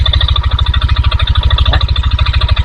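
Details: 2022 Yamaha NMAX, under two years old, idling with CVT pulley and roller housing removed, mic held close: heavy regular knock about ten per second persists; cause is the connecting rod (stang seher).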